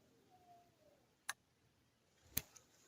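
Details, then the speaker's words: Security camera reconnected to power in a quiet room: two faint, sharp clicks as the IR-cut filter switches, confirming the camera is getting voltage. All cameras click this way. "pero todas las cámaras lo hacen de esa manera podemos saber si tiene voltaje en nuestra cámara o no"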